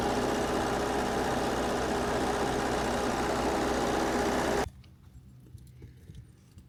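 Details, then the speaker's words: Generator diesel engine at start-up on a new battery: steady beat just under four pulses a second with a slightly lumpy note before shutting off; smoke blowing from exhaust, owner suspects one cylinder not firing, a misfire. "there was a bunch of smoke getting blown out of the exhaust I think one cylinder isn't firing so I want to look into that a little bit more"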